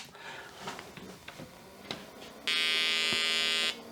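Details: Olivetti M300-30/P, BA366 motherboard, powered on after cleaning; a few switch clicks then one clean steady high beep about a second, normal single POST beep.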